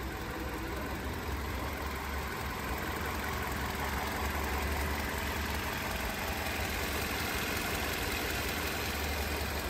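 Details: Toyota Corolla 2ZR-FE 1.8L four-cylinder, freshly rebuilt and installed, starting after the rebuild: a steady, even idle hum with no knocks or misfires; normal idle.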